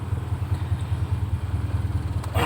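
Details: Normal idle right after a cranking test: the car battery reads 12.6 V in the morning and dips to 11.6 V while cranking. The engine starts and settles into a steady, even low throb with no misses or knocks, and charging voltage rises.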